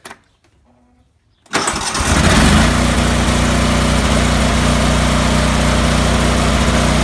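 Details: Cub Cadet 3184 with Kohler CH18 18 hp engine: cranks briefly, catches and settles into a loud, lumpy idle that never smooths out; rough idle, cause still unknown.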